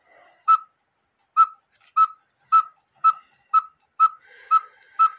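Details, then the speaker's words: 1908 GK cuckoo-quail clock with count wheel movement, quail bellows with a heavy washer added as weight in place of lead: evenly paced two-tone whistles about two per second, clear and steady. "and that will be supplies to make the um Quail sound correctly haha"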